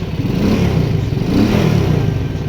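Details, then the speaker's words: Shineray motorcycle after engine-noise problem was fixed and covers bolted back on; smooth, even, quiet low putter with no ticking or rattle over the exhaust note; single runs normally, noise resolved. "bem silenciosa agora vamos ligar de novo"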